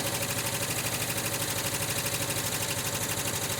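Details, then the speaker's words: 1979 Volkswagen Westfalia, rebuilt engine with new pre-bled Porsche hydraulic lifters, cold start: light regular tick about three a second over a busy idle, fading as oil refills the lifters. "still a little ticking but it's going away"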